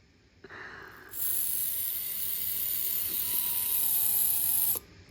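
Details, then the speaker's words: GOUPRC 2204 2400KV brushless outrunner motor with 30A mini ESC, for an SCX24 Lexus, bench-run at maximum controller speed: steady, even high-pitched whine holding constant pitch with strong torque; motor sounds healthy. "Let's crank it up to the max. Holy shit. That's got some torque to it."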